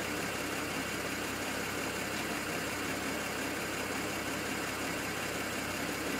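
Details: BMW N54 engine logged with IPNA: rough, uneven idle with an irregular stumble in the exhaust beat, a misfire at idle; cause not clear.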